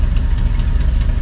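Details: RV engine after new Motorcraft fuel sending unit install, just started: deep, steady low-pitched idle with even firing pulses, no miss or knock; normal idle.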